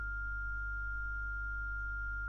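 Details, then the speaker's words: ESP32 streaming a sine wave to a Bluetooth speaker: steady pure tone around 1.4 kHz, no dropouts, crackle or stutter over low room hum, after the timing trigger was changed to fix the stuttering. "So now you hear it. It's now nicely beeping."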